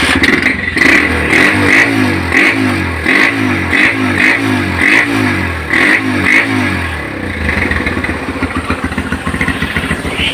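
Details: Honda GL Pro Neotech motorcycle, which sputtered and stalled when hot but ran fine cold, after repair: quick clean throttle blips, then a steady, even idle.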